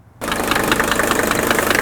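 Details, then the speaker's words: Mercedes 300TD turbo diesel wagon, warmed up and idling: a sharp, raspy, atypical knock repeating rapidly and evenly, harsher than normal injector clatter. Owner unsure whether it is an injector or internal. Piston knock. "it's got a raspy knock that is atypical you know maybe an injector maybe not but I need to be sure"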